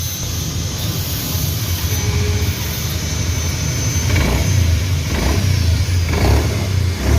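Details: Honda Beat FI scooter, CVT not opened in 4 years: faint thin whine rising over the engine with throttle blips; noise gone after replacing the crankshaft seal.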